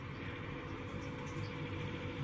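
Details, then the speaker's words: Loud Asus gaming laptop after opening it and cleaning dust from the cooling fan with a toothbrush and duster; quiet, steady airy hum at an even pitch, no grinding or rattle; not perfect but far quieter than before. "yeah doesn't sound perfect but it's definitely a million times better than what it was so I'm going to call that a win"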